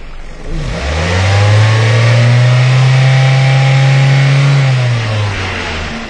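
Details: 2002 Ford Focus Zetec at idle: revs up then sags and nearly stalls with uneven lumpy note; rough idle, fuel trim graph rules out vacuum leak, no misfire seen; later found low compression from leaking exhaust valve.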